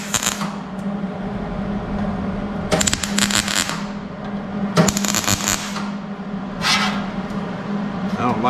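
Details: Hobart Handler 140 MIG welder on 16-gauge steel during wire-speed adjustment: uneven crackling bursts of arc noise stop and start rather than a steady sizzle. The settings are likely off.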